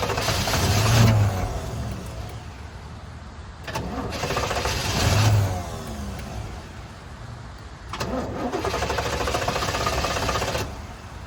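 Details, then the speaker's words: 1989 Pontiac Trans Am GTA unregistered for 17 years, cranked on ether while in drive: three cranking bursts that catch briefly with ragged sputters, then die. Cranks and sputters but won't keep running; cause unclear. "That's probably not enough. So, I have concerns that it's in drive because it's started to run started to drive forward. Let's give it some more fuel."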